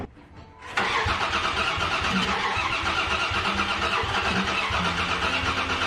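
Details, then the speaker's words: Dodge Dakota cranking after new spark plugs, plug wires, distributor cap and rotor: a steady cranking drone with only ragged, uneven catches that never pick up; plug wires were in the wrong firing order; crank no-start with occasional firing. "we still got nothing so you can hear here and there they catch something"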